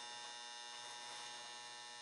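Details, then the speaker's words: Mercury vapor yard light ballast running its original capacitor at 113 V, 2.2 A, 70 W: low, quiet, steady hum with a faint even buzz, no rattle or vibration; healthy transformer. "let's hang her up well that's a way happier sounding Transformer the light isn't vibrating at all no vibration at all it's absolutely"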